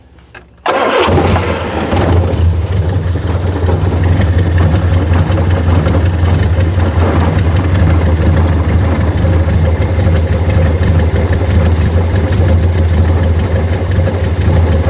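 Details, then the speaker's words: 1976 Triumph Spitfire 1500 sitting for years, first start: cranks, catches within a second and settles into a steady deep idle, not quite idling right; carburetor never adjusted, otherwise sounds healthy. "still doesn't want quite idle well carburetor has never been adjusted H true I think she sounds pretty good for being dormant for how long yeah she sounds healthy"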